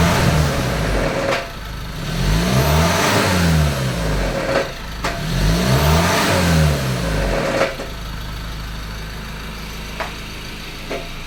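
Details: 2014 Ford Ranger 2.2L diesel engine idling and revved twice, with a rough metallic rattle riding over the run; cause unknown.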